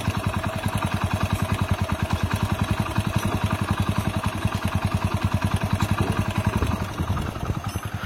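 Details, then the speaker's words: Splendor Plus single-cylinder after engine rebuild for connecting-rod knock: even, steady idle with only a light, fast valve tick and slightly loose timing chain, no deep knock; the earlier rod knock is gone, valves expected to settle. "Okay మీకైతే బండి sound అయితే వినబడదు కదా బండి అయితే perfect set అయిపోయింది"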